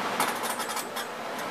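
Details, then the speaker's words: Furnace blower motor repaired for a bad run capacitor, four speeds wired to a rotary switch, switched on: steady rush of air with light even whir, no hum, grind or rattle; normal blower operation. "I guess you can hear she's a blowin good summer"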